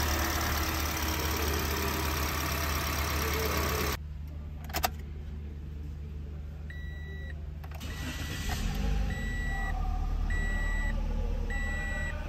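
Engine cranks, catches and settles into a steady, even idle with a chime beeping in the cab; sounds like a healthy idle.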